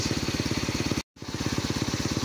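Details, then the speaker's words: Bajaj CT100 single, warm after road test and nearly an hour running, following new ignition coil and spark plug: evenly spaced exhaust pulses about twelve a second, no stumbling or stalling; clean normal idle. "Walang patay-patay yan. galing pa sa ah road test. Ni-road test din pero hindi siya namatay hanggang sa hinayaan lang na umandar siya diyan."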